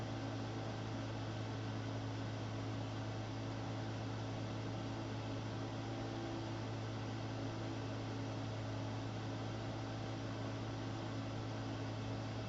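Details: AMD K6-2 desktop PC running benchmarks: constant loud whooshing roar with steady low hum and faint tone; noisy cooling fan due for replacement.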